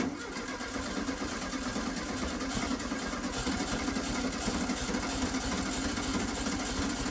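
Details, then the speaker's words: 1969 VW Beetle not started in 33 years, first start attempt after rigging a fuel supply: fast, even starter churning goes on without the engine ever firing. Cranking no-start; the carburetor is judged to need cleaning. "All right, I'm going to say we need to clean the carburetor."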